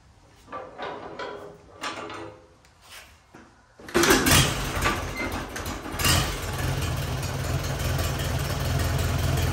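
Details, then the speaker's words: 1944 Allis Chalmers B tractor, sat many years, starter repaired, engine once hard to turn over: cold start with uneven cranking bursts about four seconds, then catches and settles into steady even idle; normal cold start. "all right so now we get a cold start we'll let the engine run for a while get warm shut it back down do one final compression test"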